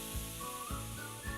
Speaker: and hissing again a normal part of the cooling process especially if your fridge is brand new